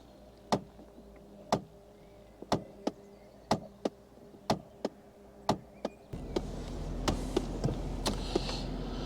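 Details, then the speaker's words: Mercedes CLK240 convertible, ignition on, climate set to defrost: sharp ticks about once a second inside the dash, under blower noise, running over 30 seconds as flaps change position; owner suspects a broken cog on the stepper motor, a dashboard-out job. "so I think probably one of the cogs on the stepper motor is broken which is a nuisance because it is a whole dashboard out job"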